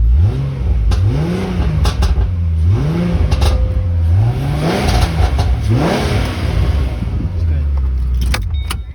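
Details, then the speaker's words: 2007 Ford Mustang V6 just after installing a throttle body spacer; repeated rev blips with sharp pops and cracks as the throttle closes, popping more and louder than before, cause unclear. Exhaust popping on revs. "Alright guys, I do realize it is popping more. I don't know if that has anything to do with the exhaust, but it sounds way louder for some reason, way louder."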